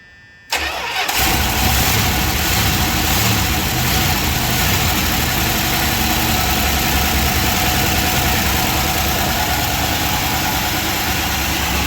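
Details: 1978 Chrysler Newport V8, long-sitting auction car, just run after a fuel pump replacement. It fires and settles into a busy, rough idle with faint rapid ticking, likely lifter chatter; old, thick oil is suspected.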